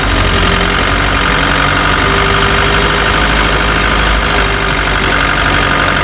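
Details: Chevrolet Tavera: loud diesel running with a rough, rattly knocking throughout; a knocking noise that ten mechanics could not diagnose, cause unknown.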